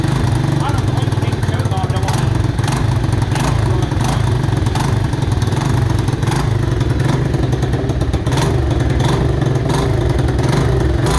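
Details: Mojave 250, year unknown, after timing chain replacement (old chain loose, jumping time): held at high revs, ragged with repeated sharp exhaust pops, heavy smoke, backfiring; owners suspect timing is off.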